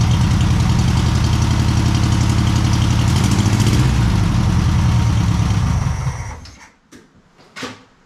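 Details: VW Super Beetle with a previously rebuilt flat-four, first start after engine install: steady, even idle with a low chuffing beat for about six seconds before shutoff; fires right up and runs healthy, may need tuning.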